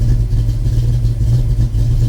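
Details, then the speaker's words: Fox Body Mustang on Megasquirt base map being self-tuned before turbo install, warm at about 110 degrees: deep steady low rumble without misses; idling well at about 13.5 AFR, owner would like it slightly leaner. "Okay, and it's idling really good. We're sitting about 13.5 at idle right now, which I would like it to be a little bit leaner, but we'll play with that a little bit later."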